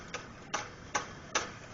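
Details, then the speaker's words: BMW Z3 E36 during a water pump and thermostat job, belt off: a pulley spun by hand gives a light dry tick about every 0.4 s. The tensioner bearing is worn but not horrible, while the water pump had been squeaking. "like it's going out that's not real good that tensioner but it's not horrible either"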